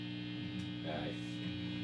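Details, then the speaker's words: 1965 Fender Vibrolux Reverb tube guitar amp, unused about 30 years, before servicing: steady low 120 Hz buzzing hum from bad power-supply filter capacitors, one leaking fluid; room lights also add background hum. "so we'll see what they end up doing and what if anything changes in terms of how this sounds including to the noise so as you can hear it's pretty noisy right now"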